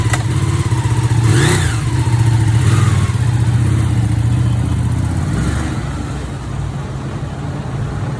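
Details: Ducati 959 Panigale engine idling after repair of an engine knocking sound: steady, deep throb with no knocking, sounding healthy.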